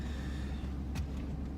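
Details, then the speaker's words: 1998 Chevrolet 2500 pickup after aftermarket fuel pump replacement, cold start at 28°F: smooth even low rumble, no misses or knocks, idling fast because cold; fast cold idle. "And everything seems to be okay. It's idling fast, but it's because it's cold. It's been it's started out at 28 degrees here this morning."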